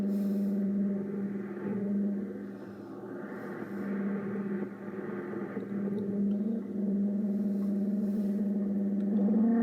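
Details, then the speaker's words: Ten Tec Paragon 2 HF receiver in AM mode on WWV at 10 MHz, being debugged after a bad AM/FM board connection was fixed. Synthesizer noise plus feedback from the volume control; steady low tone near 200 Hz under a rough, wavering rush. Cause suspected, not confirmed. "I'm still hearing synthesizer noise. So now sounds like some feedback too from my volume control here. Some kind of feedback."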